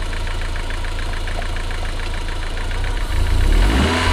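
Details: MG TF 160 VVC, rebuilt Rover K-series engine: even steady idle with light regular tick about four per second, then a quick clean rev; combustion gas test in coolant stays blue, head sealed.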